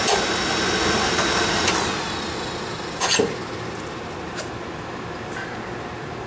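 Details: Oil furnace burner, checked after an oil-smell complaint and a fan that ran all the time, firing on a thermostat call: steady, even flame roar with no pulsing or sputtering, just a few clicks on top; fires cleanly.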